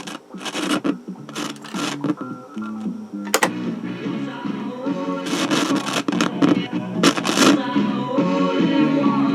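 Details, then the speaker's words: Ross RE-3430 eight-track player, first power-up: tape music through the speakers jumps in level and cuts out as the volume control is turned, a dirty, scratchy potentiometer; a panel lamp is also burned out. "Okay, so we got some work. We got scratchy pots and we got a burned out lamp."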